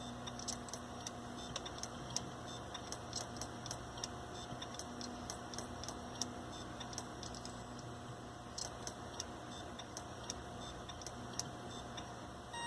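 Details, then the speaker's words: Old hard drive (dated July 2010) failing in a Linux mdraid RAID1 array while a replacement drive is being added: faint, uneven repeating ticks and clicks over a low hum, worsening the longer it runs. "Especially when your hard drive makes terrible noises like that. That's really bad, man."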